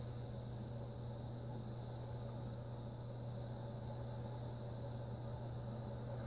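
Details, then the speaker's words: Envirofan Orange Line 36" cast industrial ceiling fan, model 136F-7, on a test rig with solid-state speed control. It was stiff, starting only at setting 9. A steady hum under a rough, hissy rumble: worn bearings, quieter after oiling and WD-40 but likely still needing replacement. "You can hear the bearing noise. They've quieted some since I've started oiling it and such"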